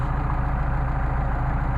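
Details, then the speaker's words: Mercedes 190SL with freshly rebuilt Solex carburetors, after a hot start: indicated 1,000 rpm, about 800 actual; smooth, even low idle with a steady rhythm and no misses or knocks. "we got a real nice idle we got an indicated 1,000 RPM with tax off so I think we're doing about 800 and this sounds like a real good idle"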